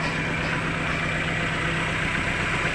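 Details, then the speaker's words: Chevrolet Lova that ran normally at first, then turned rough when revved, with stumbling and lack of power: steady idle with an uneven, stumbling undertone. Misfire. "nah ini langsung pincang dia langsung pincang seperti ini tadi normal ini pincang langsung dia pincang seperti itu ya"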